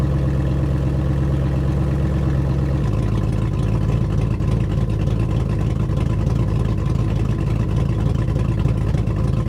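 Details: 2002 GMC Sierra after a Truck Norris NSR cam swap, on the stock tune with stock manifolds and cats: deep, choppy V8 idle with an uneven loping beat and slight hunting; running super rich and untuned, with a tune planned.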